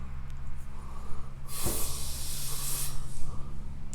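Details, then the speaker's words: Shop winterizing: compressed air from an air compressor run through a hose into the shop water lines to blow them out; short steady hissing burst about a second and a half, then cuts off cleanly. "and what that does is that just blows out all the air lines now"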